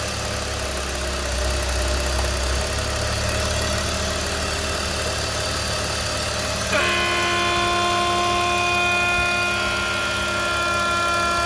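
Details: BMW E46 325i idling with a hissy, whistling intake note whose pitch shifts with vacuum partway through; owner suspects a noisy DISA valve or vacuum leak, source unconfirmed.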